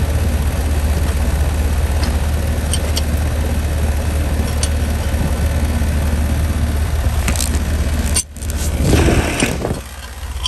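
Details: 2011 ICP three-ton R22 heat pump condenser, under diagnosis for buzzing, hot fan motor and compressor suspected in thermal overload from a bad capacitor: steady, even compressor and fan hum, no clicks or stutter; running normally.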